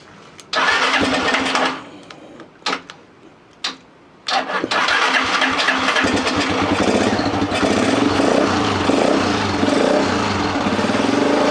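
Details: Lifan Earth Dragon 125 single-cylinder, hot-wired project bike: a few short cranking bursts, then it catches and runs on with a steady, even popping beat; normal running.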